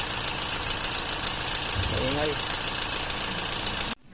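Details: Toyota 1GD-FTV diesel: fast, uneven metallic rattle from the front of the engine over hissy background; timing chain rattle, common on 1GD, timing chain kit replaced.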